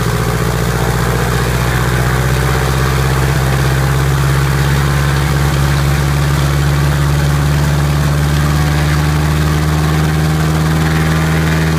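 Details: Piper Apache on its first start and run-up after rebuild: a loud, steady low drone with an even beat and a clear tone edging slightly higher, running smoothly and evenly under power; a normal run-up.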